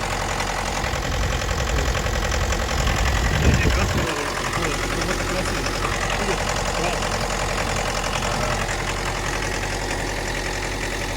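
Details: 2011 Mitsubishi L200 with 2.5 diesel and automatic, 79k km on a clocked odometer (likely 150–200k more), inspected before purchase; loose, irregular tapping about three to four a second over the idle clatter. Engine knock of unknown cause.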